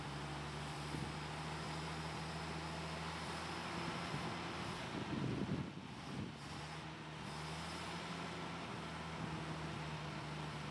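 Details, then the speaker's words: Lull forklift with industrial Dodge slant six and old Holley carburetor, just retrieved after years sitting, with bad treated gas: steady low idle with uneven, lumpy beat; rough running, carburetor needs rebuild. "This thing's got quite a few leaks in it. The foot brake does not work. And it needs a carburetor really bad."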